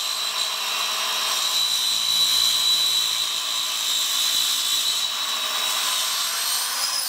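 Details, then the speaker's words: Craftsman 7-inch electric hand saw model 315.27802, with the plywood blade it came with, cutting oak: steady high whine with a thin squeal, a little strained, consistent with dull teeth slowing the cut; cut judged not too bad. "not too bad that's a plywood blade though that's what came on the saw and it was easiest to get"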